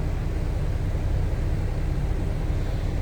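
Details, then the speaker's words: 1925 Pierce-Arrow Series 80 Opera Coupe with manual transmission, started by a floor push-button starter: a low, even idle rumble with a steady, unhurried beat and no misses or knocks as oil pressure comes up; normal idle. "You can hear it fired up, idling nicely."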